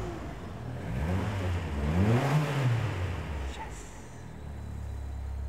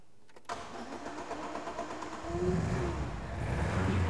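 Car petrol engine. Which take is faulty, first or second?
second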